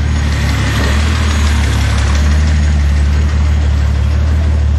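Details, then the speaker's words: Datsun 280Z turbo on MegaSquirt engine management, not yet tuned with a wideband, just started and in warm-up mode: deep, steady idle with an even low beat, no misses or knocks; purrs like a kitten. "make sure it's not in gear fire it up oh yeah hers like a kitten"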